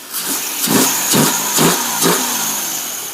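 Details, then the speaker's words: Jeep CJ7 258 with swapped Chevy TBI fuel-only computer, no MAP or O2 sensor fitted: quick uneven revs rising and dropping with hissy top end; running in limp-home mode. "look at it run with no map sensor or O2 sensor and a bird nest laying on the [ __ ] engine yes oh how's it run let's see that's limp home mode I'm happy with lymp home"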